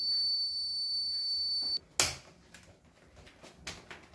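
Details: Kent Grand Plus RO water purifier powered on; steady high-pitched beep holding nearly two seconds then cutting off; continuous beep caused by a faulty choke.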